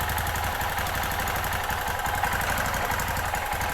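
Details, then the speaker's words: 2005 Kawasaki Bayou 250 after cheap top-end job, warmed up, poor Chinese carburettor to be replaced: single cylinder idles steady with light valve tick, no knocking, smoke only at first start; healthy idle. "so I don't get I don't hear any knocking a little valve tick we'll get into the valve thing here in a minute no smoking I mean the smoke when we first started it but nothing now"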